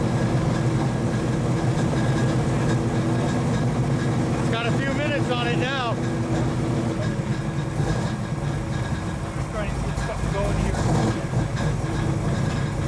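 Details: 1935 Chevy Master with new 409 stroker V8 at first start-up, on jack stands running in the differential: settles into a steady, even idle with a lumpy cam rhythm, no knocks or ticks; oil pressure and temperature good, so the idle is normal.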